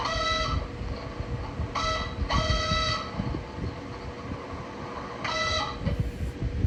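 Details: Bathroom exhaust fan just switched on: rough low rumble with repeated rooster-like crowing squeals of half a second to a second from the motor; cause unknown.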